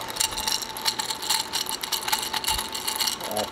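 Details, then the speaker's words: Port-A-Cool Cyclone 2200 evaporative swamp cooler submersible pump, before replacement: fast, light clicking and ratcheting with no smooth motor hum; impeller not spinning due to broken internal parts, suspected bad bearings, pump later tripped the breaker. "a good angle it is not spinning so there are broken parts inside of that"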